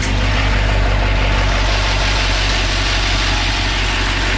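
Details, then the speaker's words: 1973 Ford F-250 4x4 with 429 big block, believed about 65,000 miles, unregistered 8 years, just primed and started: very loud, rough, clattery diesel-like idle with upper engine noise; later stalled, owner suspects weak oil pumping. "Yeah, it sounds like a diesel. But it's really not."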